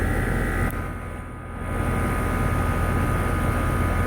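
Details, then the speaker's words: York condensing unit, condenser fan drawing 1.1 A: steady low whooshing hum with no rubbing, grinding or bearing noise; runs very quiet, fan healthy. "the York is nothing running this machine is super quiet it's just as quiet as the ones that I put in today"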